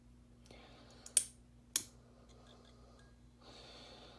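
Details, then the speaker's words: ProLight reflector PL adapter with a 13 W 2-pin preheat PL-C bulb: two sharp starter clicks over a low steady ballast hum, then the tube strikes. Normal preheat startup with the argon starter glowing. "very neat effect on camera and very nice preheat action and also you can hear the ballast just humming away"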